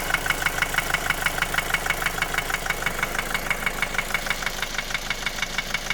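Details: 2010 Opel Astra J 1.7 CDTI 125 HP diesel at idle: sharp even knock about three per second over the clatter, began after a clogged oil pickup; bearings checked OK, injectors replaced, still knocks, slightly quieter when warm.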